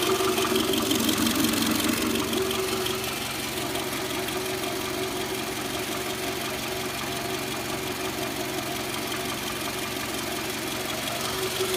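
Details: Toyota Camry V40 2.4L at idle: fast, regular light ticking knock riding over a steady idle, holding its pace; engine knock, source undetermined.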